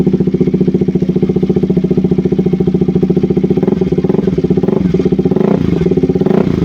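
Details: KTM RC 200 single-cylinder after replacing a faulty spark plug cap that caused stalling, no-start and rough idle. Even, steady thump at a settled idle with no misses or stumbles and a little throttle blip near the end; runs healthy.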